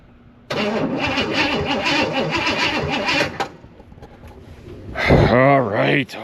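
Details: Barn-find Chevelle big-block with 750 double-pumper carburetor: steady rhythmic starter cranking about three seconds with no catch, then silence; cranks but won't start, starting fluid tried next.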